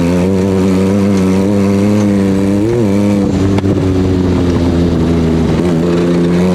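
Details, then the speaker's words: Off-road buggy under throttle: the engine drones steadily, then the note wavers and sharp pops break through, popping and running rough; something is not running right, cause unclear. "So at this point, something is not running right with the buggy, and listen to how much popping this engine is doing."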